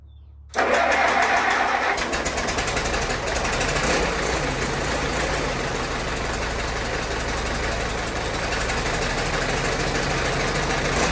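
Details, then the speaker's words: 1952 Case DC tractor, 12 volt, unstarted about six months, cold start around 42°F: fires at once and settles into a steady, even chug with no knocks or misses; healthy old engine with good oil pressure. "So this will be a cold start. It's 42 degrees or something right now."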